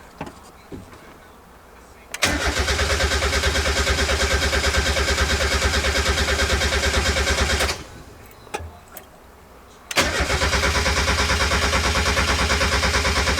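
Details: Turbo Mazda Miata first start-up build, fuel pump relay unhooked and all four injector clips disconnected; two long bursts of even cranking about three turns a second that never catch, cranked just to prime oil.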